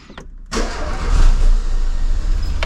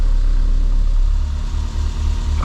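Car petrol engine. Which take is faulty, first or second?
first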